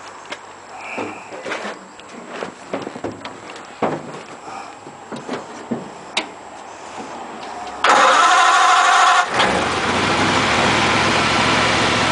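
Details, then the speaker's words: Model A roadster on '32 rails with 276-inch flathead V8, parked outside about 18 months, cold: scattered cranking clicks and light knocks, then it catches abruptly into a loud rough run after choke is put on one carb. "well can't complain about that can you oh oh we are let give it another go yeah let's leave the choke on"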